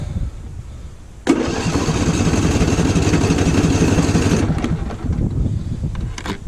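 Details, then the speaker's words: Lawn tractor small engine freshly filled with TruFuel for winter storage: cold start catches, runs unevenly about three seconds, then sags and fades without choke; needs choke. "Whenever if I do start this thing, it'll probably would want to start and then die, so I'll probably have to work the choke back and forth in order to keep this thing running."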